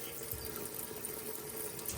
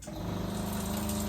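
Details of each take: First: Caravan water pump after installing a SEAFLO accumulator tank, dishwasher running: pump kicks in with a steady low hum under two seconds and shuts off cleanly instead of constant rapid pulsing; normal cycling. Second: Caravan water pump without accumulator tank, dishwasher drawing water: low, fast pulsing drone, pump short cycling because only a little water is taken; accumulator to be installed to stop it.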